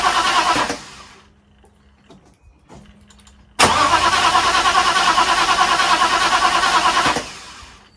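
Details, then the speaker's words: Restored Mercedes with new radiator, before its first start: ignition coil and distributor unpowered and fuel pump cut, starter alone turns the engine to circulate gearbox oil; steady rhythmic chug about three turns a second, no firing. "n est sur pas de pas d'allumage pas d'essence la pompe à essence est coupée au niveau de la bobine le bruit n'est pas alimenté et le distributeur non plus donc il y a que le démarreur qui tourne"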